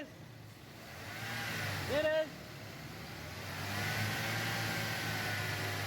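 Steady low hum at idle, then the engine climbs cleanly in a smooth rev without stumbles; it sounds healthy.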